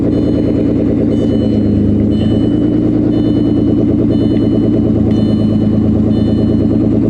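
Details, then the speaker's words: 1998 Audi A6 Avant salvage-auction car, needs a battery, starts right up and runs well: steady smooth idle but loud, raspy exhaust note throughout; loud exhaust, the exhaust is the car's main problem. "It runs so dang good. Oh. Now, I'm not going to keep this running for long. Obviously, we don't need all this noise, right?"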